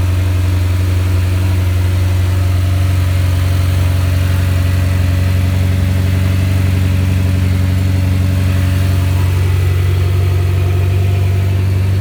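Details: Mitsubishi Evo X first start-up after ACT clutch replacement, with suspension, axles and belt refitted and a Cosworth air filter fitted: deep, steady idle with an even, unbroken rumble and only slight swells in revs; runs smoothly, normal idle.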